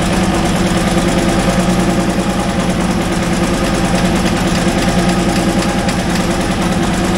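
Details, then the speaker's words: International wheel loader diesel, sat 8 years, cold start next day with booster: heavy idle clatter with an uneven, lumpy, slightly wavering beat; owner suspects poorly running injectors plus injection timing off. "man how's that for a cold start huh I think we got some injectors that probably aren't running the best as well as the timing being off"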